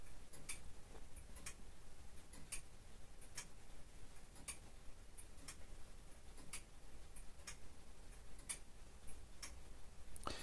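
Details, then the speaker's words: Early-18th-century longcase (grandfather) clock movement after a full service and repair: a crisp, even tick-tock about once a second with steady spacing and no stumbles. Normal, healthy tick. "and here we are back at the customer's house a lovely looking movement in this case and the customer was pleased to hear the sound of the ticking and the chiming and it's just as she remembers her mum's clock performing many years ago"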